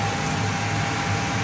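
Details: Payne furnace that clicked and showed an orange LED but gave no heat or flame, restarting after sensor cleaning, a re-crimped loose connection and a test bypass of a popped fuse: steady whirring hum with a faint ~800 Hz tone; the inducer spins up smoothly.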